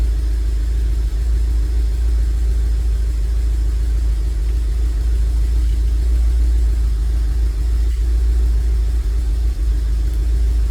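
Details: 2002 Rover 75 / MG ZT engine bought as bad, idling after long storage, slightly smoky: low steady rumble with an occasional stumble every few seconds, clearly misfiring; cause unconfirmed.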